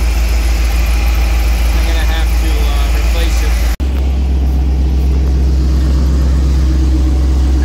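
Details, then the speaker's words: 1999 Isuzu NPR cabover with Chevy 350 small-block, starting after sitting; no-start traced to a broken battery terminal, now tightened; deep, steady, even idle with low rumble, no misses or knocks; normal idle. "it was the battery terminal i have a broken terminal on this side so"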